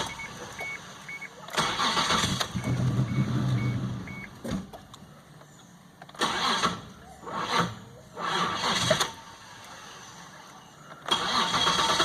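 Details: 2001 Isuzu Trooper: several cranking bursts of a few seconds each that fail to catch before it finally starts; intermittent hard start, cause unclear, with some odd electrical issues.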